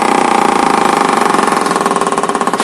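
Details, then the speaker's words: Platina motorcycle revved then switched off: fast tractor-like hammering rattle that slows slightly then cuts out sharply; cause found to be a broken clutch weight balancer. "इसमें समस्या है कि इसको race लेकर बंद करने से य ट्रैक्टर जैसा घड़ घड़ घड़ आवाज करने लगता है"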